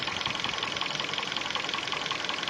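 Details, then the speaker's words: 2012 Korean-market Hyundai Sonata, 126,800 km, converted from gas to petrol and back to gas, running on gas: steady idle with quick even light tapping over it, coming and going; engine knock, owner suspects timing chain, unconfirmed. "Вот появляется звук. Сейчас звука нет просто. Вот он. Вот он, сейчас появится. Все стучит, конечно. Может цепочка."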